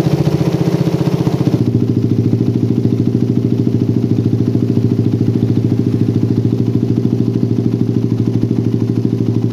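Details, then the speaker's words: Motorcycle with a PWK carburetor and racing exhaust after curing the helicopter-style stutter (brebet) by resetting the air screw to about 2.5–3 turns. After a brief blip the idle settles into an even putter with no hunting or stutter: normal idle. "nah hasil setengah setting angin idealnya stabil banget guys ini udah layak untuk digunakan sehari-hari terus barusan dicoba digas sedikit udah nggak ada brebet helikopternya udah benar-benar hilang"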